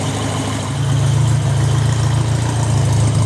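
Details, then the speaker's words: 1981 Royale RP30 Formula Ford, stainless exhaust: even steady low idle around 800 rpm, 40 psi oil pressure, water temperature rising, no knocks or misses; smooth, well-maintained engine, normal idle. "as you can hear, the engine is running very smooth and regular, so this car is certainly well maintained. It also means that the engine is in a pretty good condition."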